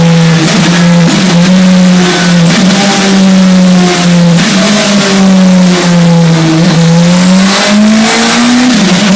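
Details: Radical SR3 1500 engine on a dyno, revving under load with uneven stumbles and dips in the note every couple of seconds: an odd misfire under load.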